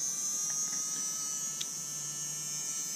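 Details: Bosch Ixo cordless screwdriver bought not working, with its motor powered directly after a jam freed: it spins up and holds a smooth, even high buzz with no catching. It later squeaks again on the original connections. Normal motor run.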